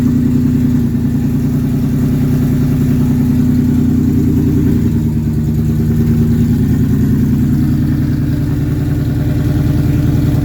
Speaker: well that was a success I'm uh super happy that everything actually starts and runs now